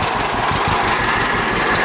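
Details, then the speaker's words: 1946 John Deere B two-cylinder, about an hour run since engine rebuild: slow even popping at steady idle, no knocks or misses, nice and poppy with plenty of compression; healthy. "I don't know if you can hear it running decent or not in the video, but that's pretty much it. She runs good, nice and poppy, plenty of compression."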